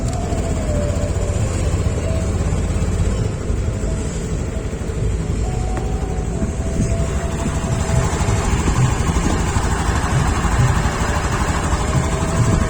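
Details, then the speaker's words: 2021 Honda Beat Deluxe scooter that hesitated on initial throttle, after cleaning the throttle body and IACV sensor and adjusting the idle screw: a steady, even low putter with no stumbling or surging. Idle speed is correct, neither too high nor too low. "untuk suara stasionernya ya untuk stasionernya enak banget enggak terlalu kegedean dan enggak terlalu kekecilan"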